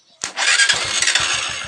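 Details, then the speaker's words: Honda TMX Supremo motorcycle that would not start from the starter switch, with the bad starter relay bypassed: short starter whir, then the single cylinder catches at once and settles into even firing; the switch works and the relay is at fault. "Nag-start mga boss. Sira yung starter relay."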